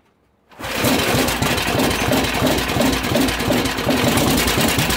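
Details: DM1 single-cylinder engine after head resurfacing, new head gasket and valve lapping: catches after half a second and settles into a quick even beat, no knocks or misses; running normally.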